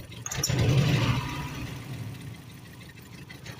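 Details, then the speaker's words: Rough idle with a lumpy "flump" about three times a second on a coil-pack four-cylinder (one pack fires two plugs), running on three of four cylinders; one cylinder dropping out. "here's the problem with a cure racer you hear it flump flump flump flump flump flump"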